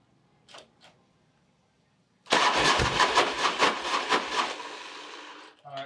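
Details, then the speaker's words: Harley big wheel bagger after an engine rebuild (cam bearings had come apart) with a used tank, sending unit, fuel pump and check valve: uneven cranking that never catches without starting fluid; fuel delivery or a crank sensor damaged by cam bearing debris is suspected. "So it obviously is not starting without starting fluid, so I I got this tank used, and I used a used sending unit that I had, a used fuel pump, and a used check valve to make everything work."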